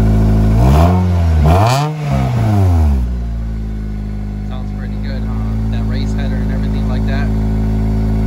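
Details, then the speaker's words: 2005 Acura RSX (DC5) petrol engine cold start, flaring up then settling to a rough puffing idle from a small exhaust leak; knock sensor code also present. "I just wanted to do a cold start on the RSX so you can hear out sounds it's got the little exhaust leak but we're gonna get that fixed hopefully soon"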